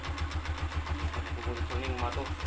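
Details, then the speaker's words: Honda TMX 125 single-cylinder after a tune-up for ticking, idle RPM raised to about 1200 then revved: even low thumping and no ticking or misses, the ticking now gone. Normal idle. "Ayan i- accelerate natin kti yung yung ating motor yan kung mapapansin natin yung kanyang lagitik ay luminis na"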